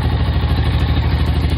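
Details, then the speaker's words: Honda Rancher 350 ATV, idle after lowering the high idle the previous owner had set all the way up on the carb: steady, even low thump with no misses or knocks. Runs smoothly, normal idle. "it's running perfect"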